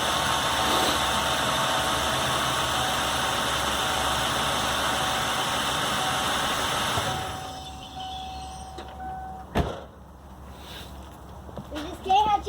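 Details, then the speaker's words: 1997 Ford Mustang 3.8 V6 after a worn serpentine belt was replaced: an even, smooth idle with no chirp or squeak from the belt. "in the morning that's right no more cheep-cheep-cheep alright so there we go we got it fixed we're ready to go"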